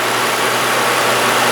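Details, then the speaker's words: Engine after replacing the belt tensioner that was causing a squeaky noise: even, steady hiss-and-hum idle with no chirp or squeal; the noise has gone; normal idle. "as you heard the last time it's very noisy and now we will see so what is the this is the condition now okay okay we'll start [Applause] let's start the engine [Music] oh you hear that no sound"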